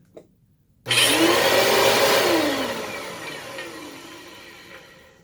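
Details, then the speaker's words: Bissell CleanView 3575-8 vacuum at first power-on: rough, wavering whir that settles into a steadier hum; owner suspects the brush roll rather than the motor. "it made a weird sound at first but then it started to sound normal i'm wondering if that's the brush roll and not the motor"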